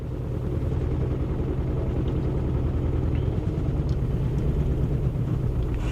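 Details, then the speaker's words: Bentley Flying Spur at auction on a cold, wet day, accelerator feathered: engine tries to start, catches, then dies; low uneven stumbling rumble barely holding on; a compression issue or plugged diesel exhaust filter is suspected. "it started n it won't run it tries to start then it just dies"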